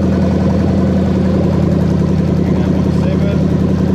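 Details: Toyota Crown 3UZ-FE VVT-i V8 with adapted harness in Lexus IS200, 6-speed automatic: steady even burble at constant idle, no knocks or misses, zero engine codes; running normally.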